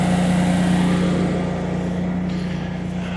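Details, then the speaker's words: Generac standby generator powering the house with the air conditioner compressor load; steady deep hum holds even pitch with no hunting or knocking; normal running under load. "But let's see what the generator sounds like now that it's under load. That'd be very interesting to hear. Because, you know, compressors really require a lot of power to start up, so. Oh, sounds okay to me. Yeah, it's running very well."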